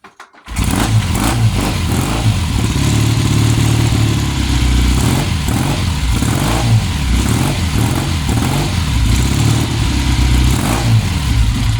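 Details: 1966 Triumph T120R Bonneville twin, restored 2012, first start after sitting since 2020 on old gas after tickling the carb and kicking: catches and settles into a steady, throbbing twin-cylinder idle with no knocks; normal start and idle.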